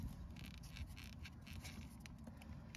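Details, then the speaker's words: 2008 Vauxhall Zafira B front suspension with the car's weight on: quiet, irregular dry crunches and creaks as it is rocked, from worn plastic anti-roll bar drop links, replaced with metal ones. "hear the noises now with the weight on the car they crunch because the plastic terrible"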